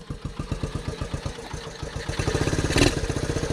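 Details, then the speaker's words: 1974 Honda Trail 90 (CT90), sitting since 1984, first start with a new battery, still in gear, air filter off: small single thumping slowly and a bit unevenly, revs sagging low; idle speed needs raising a little. "still in gear need to bump up the idle a little bit"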